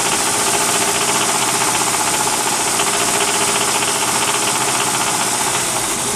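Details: 1999 Mitsubishi RVR with the 2.4 GDI 4G64 engine, owner asking what the knock is: a sharp knock about three times a second rides steadily over the running engine, clearly mechanical; the cause is unknown.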